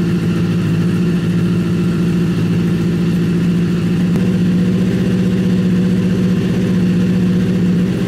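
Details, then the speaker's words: Freshly rebuilt Honda CBR1000 engine in a buggy after major cylinder damage, first idle back in the frame, smoking from WD-40 burning off headers: steady, even low burble, no misses or knocks; idles better than the previous rough idle. "yeah this thing sounds stronger it sounds like it's idling better it sounds like it's running better"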